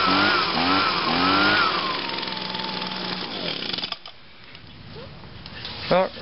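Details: 2009 Echo PB 251 two-stroke blower on a cold start, with choke on and five primes. The buzzy note rises and falls cleanly, then winds down to quiet without stumbling, which means normal running after a cold start.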